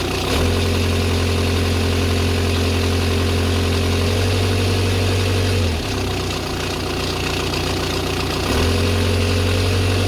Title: Audi a6 c6 2.0 tdi BLM strange noise please help